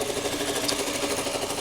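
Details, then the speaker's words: 2007 Toyota Camry, 265,000 miles, engine bay at idle, hood open: fast light ticking on steady whir, even and unchanging; owner unsure of source, thinks it's like the alternator — ticking and whirring at idle. "It's just that sound. I just can't figure what that sound is. I really can't figure out what the sound is. It's like the alternator."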